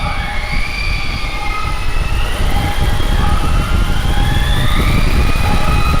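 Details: Heavy-lift drone, first flight test, batteries not fully charged, no motor idle set: loud, uneven surging drone as the prop tones drift apart and wander. The props are not in step; the owner suspects PID tuning. Cables are flopping near the propellers.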